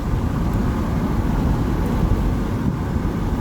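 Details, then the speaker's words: Test drive after hub/wheel bearing replacement, loading each side at speed: steady, even road and tyre rumble with no droning hum or growl rising with speed; bad-bearing hum gone, bearings normal. "we're gonna listen for the vibe the the humming noise or the bad bearing which I can tell you right now is already gone"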